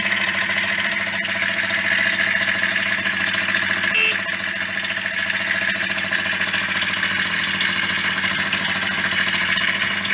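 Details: Yamaha DT50MX two-stroke, rebuilt engine: starts and runs but a buzzy idle carries a busy metallic rattle at steady revs; owner suspects the non-Koyo bearings used and plans to strip the engine again.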